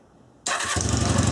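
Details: Honda CB250N motorcycle after stator rewind, source coil now giving over 118 V AC, started on choke: starter spins briefly, engine fires straight away and settles into a steady, even beat; normal start and running.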